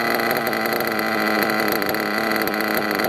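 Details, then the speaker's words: RC monster truck nitro engine during carb tuning, fuel line pinched about five seconds: high buzzy idle rises right away and holds steady and smooth, showing crankcase not overloaded with fuel; normal idle rise on fuel line pinch test. "least that much you pitched a good line the idol goes up right away the hope is to be part of it if it never comes up there's too much fuel in the crankcase"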